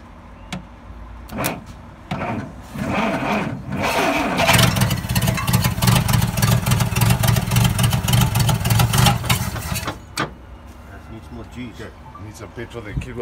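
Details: Dodge D300 slant-six military truck, first start attempt in years after changing points, petrol added: long stretch of rapid even cranking with a few coughs, but the engine never catches and runs on its own.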